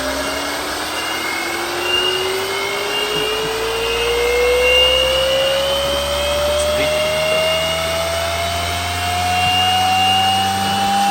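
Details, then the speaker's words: Dual-stage Tesla turbine driving a wireless generator on a low-speed endurance test, spinning up, perhaps toward 8,000–11,000 rpm: clean whine creeping upward in pitch with no knocks, rattles or wobble; running smoothly. "Oh yeah. It's not gonna be loud. It's gonna be speed."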